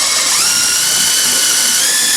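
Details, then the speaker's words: Whirlpool heavy-duty commercial coin-operated top-loader that was noisy and would not agitate or spin. With the clutch removed and the transmission turned, there is harsh metallic grinding and a rising whine; stripped transmission gear. "I'm getting a horrible sounding transmission sound, so something in the transmission has gone defective."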